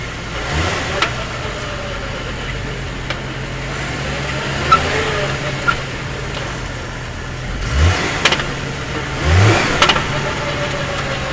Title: Hummer H3 clunking sound